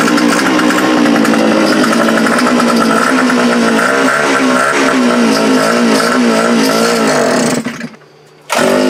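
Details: Gas fence-post auger after a new fuel primer bulb: small engine buzzes with wavering, hunting speed for several seconds then drops out abruptly; running rough from a carburetor issue.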